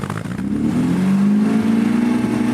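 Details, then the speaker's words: Old MGB GT cold start on carburettor choke, fuel pump audible: the engine catches and settles into a steady, raised idle, revving high. High cold-start idle on choke. "revving high there's too much air going in so what you have to do as it gets warmer you slowly put the choke back in"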